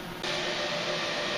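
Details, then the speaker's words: Fossibot F3600 power station supplying about 1300 W: steady loud airy rush kicks in abruptly and holds without pulsing, the cooling fan running hard under heavy load, normal and as loud as a washing machine. "ça ventille ça ventile 1300 W ça fait du bruit j'avais l'impression que la machine à laver était en"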